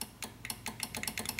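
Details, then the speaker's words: Nissan Maxima power window that won't go up or down, door panel removed, switch plugged in: rapid dry clicking inside the door, about seven a second, with no motor hum while the window stays put; cause suspected, not confirmed. "but I'll just plug the switch back in like this, and now you should be able to hear it clicking pretty good."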